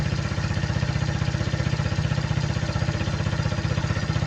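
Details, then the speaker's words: Suzuki Hayate motorcycle with a cracked vacuum hose on the air injection valve system, the hose pulled off to simulate the leak. Even, fast, raised idle with a steady pulsing beat. "มันคือท่อแวคคัมของระบบวาล์วเติมอากาศท่อเนี่ยมันปริแตกอยู่นะฮะเพราะฉะนั้นพอท่อเนี่ยยมันปริแตกอยู่เดี๋ยวครูจะสมมุติโดยการดึงท่อนี้ออกไปเลยนะครับ"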